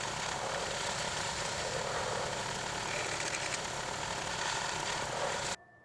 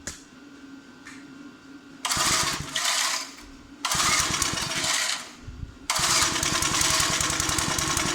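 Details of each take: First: Clarke 20-ton log splitter after its original engine was replaced with a 5 hp engine: a steady, even buzz with no hunting or misfire for about five seconds, then it is shut off. It is running normally. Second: Old 20-ton Clarke log splitter, roughly 3.25–3.5 hp Briggs & Stratton that sat 10–12 years, with the original carburetor quickly refitted after the new one failed and no governor linkage: it catches after a pull, then surges and sags unevenly, running ungoverned.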